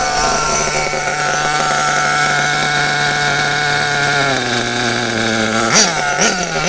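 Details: Kyosho RB One (Bug TT8) nitro RC buggy with RB engine, static bench tuning. The low-speed (reprise) needle is closed too far. The high nitro buzz sags and sputters at full throttle as the engine cuts out from too little fuel, a lean cutout.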